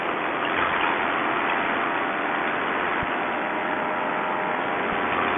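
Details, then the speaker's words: Paramotor two-stroke after a rebuild, on flight #3: after the carb low-speed screw was turned in slightly, a steady even drone with a constant high buzz and no misses or surging; now running smooth, normal running. "oh that sounds a lot better okay what we did is we turned in the low speed screw just a little bit and uh that made a world of difference"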